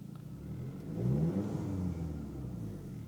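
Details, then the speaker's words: 2004 Audi A4 1.8T quattro, smoking: quiet idle, short rev blip, then revs sag low and uneven after throttle release; idles rough and sometimes stalls, especially uphill. Cause unknown. "if I throttle up and release my throttle, it goes pretty bad. It goes down pretty bad. Sometimes it'll stall."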